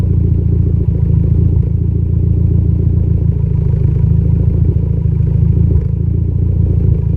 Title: Less idle misfire